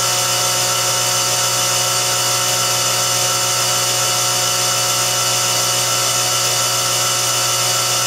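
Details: Well pump after the water-logged tank was drained and its micronizer (aerator), clogged with plastic bits, was cleaned: steady motor hum with constant high whine, running a normal long cycle of about a minute with no surging or rapid cycling.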